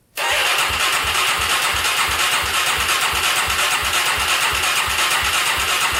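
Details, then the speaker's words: Polaris Predator 500cc quad, after repairing a no-compression valve fault, fires almost instantly on about the 17th attempt. It holds a steady single-cylinder thump over a hissy exhaust and runs well; flywheel keyway still suspect. "oh she started finally that was awesome to hear that oh man after what like 17 attempts finally started"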